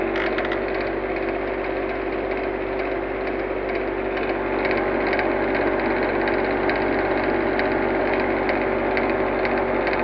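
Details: Blue Star AC unit: steady hum with a regular light ticking about four times a second; sounds abnormal, cause unclear.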